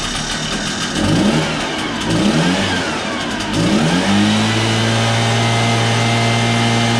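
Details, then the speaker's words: Backpack blower after cleaning carbon out (low-power fix): engine blips up and down then settles into strong steady high-revving drone with clean pickup; normal running, full power restored. "so as you can hear it runs pretty strong now after cleaning out the carbon"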